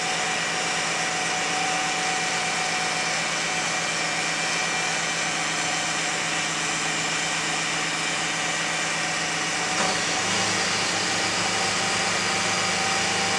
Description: 2001 Lexus RX300 making Whining Noise